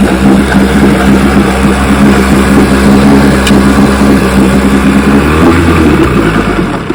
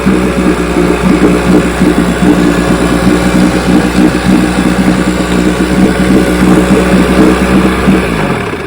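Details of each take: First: 1960 Johnson 10 hp outboard after gearcase rebuild, carburetor high and low speed needles just turned in: loud two-stroke buzz that sags and stumbles as revs change, with a lean sneeze at low idle. Hesitation on acceleration. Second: 1960 Johnson 10 hp outboard after gearcase rebuild and carburetor needles backed out a quarter turn: starts easily, steady even two-stroke putter at low idle with no stumbles or lean sneezes. Normal outboard idle.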